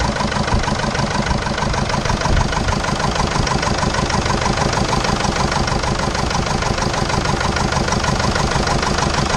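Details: 2005 Jeep Liberty CRD common-rail diesel, past overheating and suspected catastrophic failure under previous owner: uneven lumpy stumbling idle about a second and a half apart, running on three cylinders; cause not yet found.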